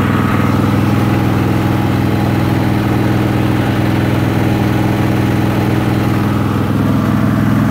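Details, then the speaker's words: Craftsman Hydro 46" riding mower after unclogging fuel lines that let almost no gas through: steady, even single-cylinder putter at constant speed, no misses or knocks; running smoothly. "anyways once I did that it ran fine let's fire it up"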